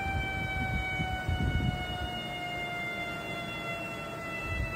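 A steady, high, siren-like whistle sits over a low engine hum and never changes pitch, which suggests air being drawn through a leak. Cause suspected, not confirmed.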